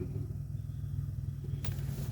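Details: Toyota Corolla AE100 cabin heater blower, ignition on: loud steady low hum from the fan; dirt and grit in the blower motor, fixed by removing and cleaning the motor.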